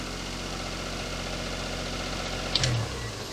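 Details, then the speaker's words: Daihatsu Charade after engine swap, exhaust just reconnected, checked for a blow: quiet even idle, steady low hum, no puffing or ticking at exhaust joints; normal idle, no blow heard. "I think it's alright. Doesn't sound like there's a blow."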